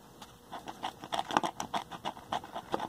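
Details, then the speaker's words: 1950s Bulova 300 AA5 vacuum tube AM radio: scratchy, crunchy buzz about five times a second from the speaker; junk in the voice coil gap is rubbing. Speaker voice coil rub. "fortunately the speaker is rubbing a little bit can hear it Go crunchy"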